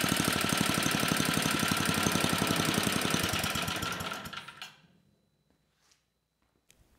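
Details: Troy-Bilt Tuffy tiller (model 12060), 34-year-old Tecumseh H30-35387Y single-cylinder, repaired after no compression, clone carburetor being tuned: quick, fairly even put-put firing, then winds down and stops; engine runs normally.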